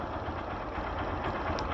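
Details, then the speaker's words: Carburetor heard through a Phillips screwdriver used as a stethoscope at steady idle: a smooth, even rush of fuel and air with no knocking, normal carburetor intake noise. "barulho do carburador passando gasolina né gasolina com ar"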